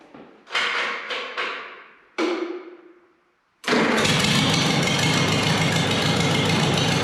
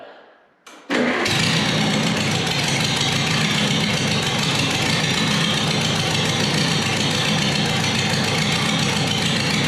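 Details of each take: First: Multi-cylinder engine after fitting a new set of spark plug wires, plugs in cylinders one and two probably wet: a few cranking bursts, a pause, then it catches and runs at a steady, even speed without missing; normal idle. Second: Multi-cylinder engine tested in neutral by pulling each plug wire: a rough, stumbling run that changes and cuts out, with arcs visible from the number one and number two spark plug wires; misfire from faulty spark plug wires.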